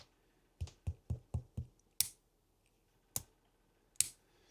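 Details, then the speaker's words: Vacuum tube amplifier mains power switch flicked off and on while testing continuity: dull soft clicks without a crisp internal snap; both sides of the switch failed, stuck open, worn-out switch. "Off. On. Off. On. I can hear it's not quite clicking inside."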